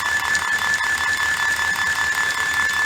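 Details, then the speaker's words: IBM 4400 thermal label printer running a checkerboard diagnostic after media gap sensor cleaning and ribbon rewind motor work: steady high stepping whine with an even pulse two to three times a second; ribbon rewinding correctly, normal printing. "the ribbon's at least being rewound the way it's supposed to"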